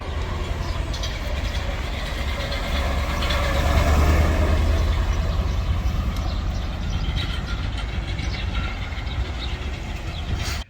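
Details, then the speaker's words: 1991 C4 Corvette V8 idling with deep rumble and a loose, uneven rattle from a broken-up catalytic converter whose honeycomb is breaking apart; cat being removed and gutted. "if you heard the video before of it you can hear it it rattles really bad"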